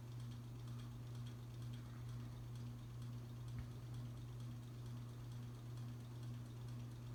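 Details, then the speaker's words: Old ceiling fan at the grandmother's house: steady low motor hum with faint soft ticks about twice a second. Worn bearing noise is suspected. "It does have a bit of a hum to it, and that funny bearing noise."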